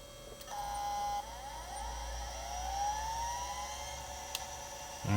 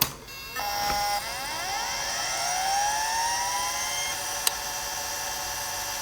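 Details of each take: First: Chaplet Halikan LA-30A 1980s 286 laptop (2 MB RAM), hard drive detected as Type 17: steady thin whine with gliding seek sweeps as the hard drive tries to work, but no loading follows; drive seeking without booting, cause unconfirmed. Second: Conner CP3044 hard drive (Type 17) in a 1980s Chaplet Halikan LA-30A 286 laptop with 2 MB RAM: a click, then a steadily climbing whir settling into an even high whine; normal, healthy hard drive spin-up.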